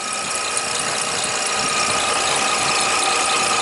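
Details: Toyota Highlander (2007 or 2003), idling; alternator current jumps to 27 amps and voltage returns to 13.1-13.3. A thin, steady single-pitch high squeal: alternator failing from a bad diode.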